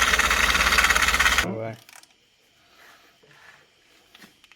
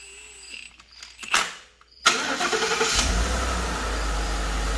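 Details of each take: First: Ford F-150 rebuild, engine idling: steady slapping beat about three times a second before shutoff; accessory belt is shredded and may be slapping, with a possibly worn harmonic balancer suspected. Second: Rebuilt Ford F-150 after a belt-drive part was replaced: the engine cranks, catches and settles into a smooth, even idle with no chirp or rattle from the belt drive.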